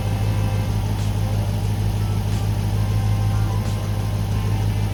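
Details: 2019 Dodge Charger RT 5.7 Hemi V8, revved before JLT cold air intake install (stock intake); deep, even V8 burble with steady low beat, no knocks or ticks; normal running engine.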